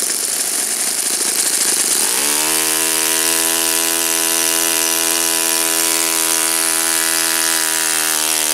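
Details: Saito FA-56 four-stroke glow engine, first run after teardown, cleaning and bearing replacement; apparently moderate-time engine on 12x6 prop, OS F plug, 5% Omega fuel. Start-up rasp, then steady high buzz with clean, even note, no misses; normal running.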